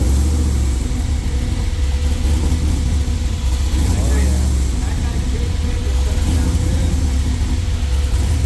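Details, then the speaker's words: Freshly rebuilt LS engine in a Jeep, Comp cam, Holley injection, first fire-up cold and not yet tuned for the cam: deep, choppy, uneven loping idle over a heavy low rumble; oil pressure good. "Oh, yeah. It wants to chop. It's trying to learn itself."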